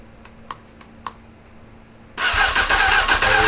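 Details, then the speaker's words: 2003 Honda 919 (919cc, liquid-cooled, fuel-injected) parked for years after running poorly: a few faint clicks, then the starter cranks hard and steadily but it never starts; fuel flow or spark questioned, old fuel suspected. "where is our fuel where's the fuel do we need to check for fuel flow or spark"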